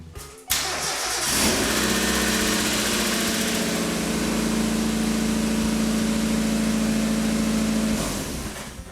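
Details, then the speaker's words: $300 Mazda Miata, ignition coil already replaced: at startup a fast light lifter tick over the idle, sometimes fading and sometimes lasting while driving; the owner hopes an oil change will flush it out. "You can hear it for a second there when it first starts up, and sometimes it goes away and sometimes it doesn't. Sometimes it just runs the entire time while you're driving with that tick, tick, tick, tick, tick, tick, tick in the lifters."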